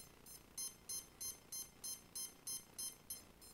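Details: ESC on a CX20 quadcopter beeping steadily, about three high beeps a second, evenly spaced, with no motor running; the speed controller flags a deliberately loosened signal lead between ESC and APM, fixed by pushing the white wire back in place.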